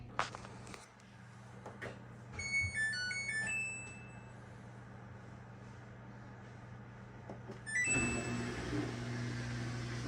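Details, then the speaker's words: Samsung front-load washer after repairing a no-drain fault; with an empty drum there is no water sound, just a steady low hum, electronic beeps, a door-lock clunk and an even motor whir. Normal running after repair. "now as you can see everything is working like it should so we are back in business"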